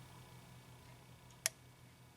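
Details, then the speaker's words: New replacement purge solenoid (PCS) on a 2004 Honda Accord EX 2.4L 4-cylinder, plugged in but not mounted, commanded on then off during P0443 diagnosis; one light crisp click on switching, a normal, working solenoid. "then you can hear it click off so you can see just makes a little bit of a clicking sound but that's a that's a real good indication that it's working it's not foolproof but it's definitely a good indication"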